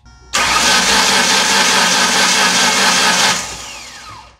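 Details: 2006 Ford Ranger 4.0 OHC, fuel pump running, fuel pressure good: starter spins fast and even for about three seconds without firing, then winds down; crank no start, timing chain jumped teeth and bent a valve.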